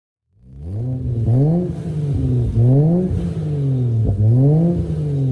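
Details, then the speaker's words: 1JZ-swapped BMW E46 with twin-turbo downpipe into a 3-inch exhaust and HKS muffler: three clean throttle blips, deep throaty note rising and falling smoothly, no misfire or rattle. Healthy, though it drones badly around 2,000-2,200 rpm. "so i'll put up the sound for the exhaust system now so you guys can listen to it and tell me what you think about it sounds pretty good but it drones a lot"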